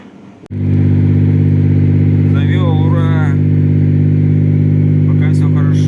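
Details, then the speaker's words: Mazda Millenia / Xedos 9 supercharged V6, 220 hp, after repairing a knock from a failed rod bearing, muffler not fitted: engine catches and settles into a steady, even idle with loud open exhaust rumble, no knocking; smoke cleared. "Пока ничего не завёл вроде всё огонь и Дым прошёл"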